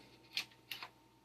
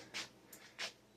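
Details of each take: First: 15-inch CRT monitor plugged in and switched on with its physical switch: a couple of clicks, a quiet pause, then a sudden loud low buzz that holds; normal degauss at power-on. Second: 15-inch CRT monitor powering up on test; two or three sharp hissy clicks about half a second apart in a quiet room, then a dim picture; flyback suspected moist/faulty.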